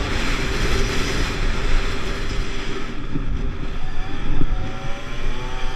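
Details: Pulse Force 50cc two-stroke road test after fuel-starvation fix, GoPro on bike, 14-stone rider, about 37 mph. Buzzy note revving smoothly over road wind, pitch climbing steadily, no bogging or hesitation; normal running.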